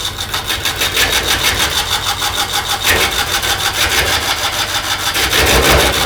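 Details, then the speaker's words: McNaughton coring tool slicer parting off the lid from a cedar burl on the lathe: rapid rasping cut with a faint high squeal as the cutter is pushed too hard; overfeeding, let it cut until shavings stop, then advance slightly. "can tell you're trying to cut, and it sounds like it's doing, and you're just putting a little bit more. But let it cut, and then Yeah. let it cut till it quits making shavings, and then advance it that 106 or 128th of an inch."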